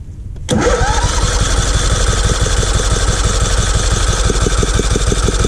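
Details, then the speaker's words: Free riding mower being revived, spark confirmed, plug black, sanded and gapped: steady starter cranking about three beats a second, engine catching now and then but not running, sounds close to starting before choke applied; cranking, tries to fire but won't start. "Sounds good. I thought I heard it trying. Yeah, it sounds pretty close."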